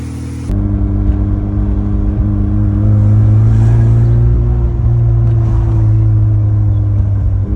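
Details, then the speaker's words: Mazda FC RX-7 rotary after upgrading the stock alternator to a Taurus unit with new pulley: smooth, steady low drone with a slight swell in revs partway, nothing irregular; idling with zero issues and charging, normal idle. "There you go. It's all running, idling, zero issues. Car's charging."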